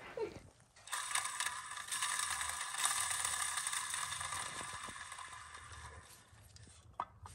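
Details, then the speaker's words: 2004 Mustang Cobra T56 with clutch cable disconnected, fork pushed back and throwout bearing spun by hand: harsh dry scraping; bearing seized and leaking grease onto the retainer sleeve; replaced with McLeod RXT twin-disc clutch. "so you can actually disconnect the clutch cable and push the fork back and reach up in and spin the throw out bearing so that's what I'll do here and listen to the sound so that sounds pretty bad"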